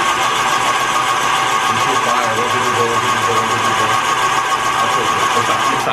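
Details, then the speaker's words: 2011 Yamaha WaveRunner VX110 Deluxe jet ski, sitting for years, cranking with spark plugs removed while clearing injectors: fast, even whirring crank, no catches or labouring; rotating evenly, nothing seized. "because now she's rotating evenly wait let me listen yeah that sounds good"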